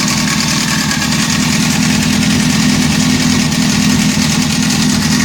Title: Honda CBR 600 F4 timing chain noise